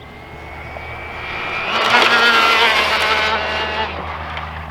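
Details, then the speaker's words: Arrma Infraction Mega RC car converted to 3S brushless (Max10), near-stock gearing, top speed run about 43 mph: high whine into a rough, buzzy roar at full speed. The center driveshaft is vibrating at high rpm; an aluminum upgrade is planned. "definitely has the same drive shaft problem that Hudson's had gas powered yeah well that is that's the center drive shaft of vibrating because it's spinning so fast so we'll have to look into an aluminum upgrade for that one"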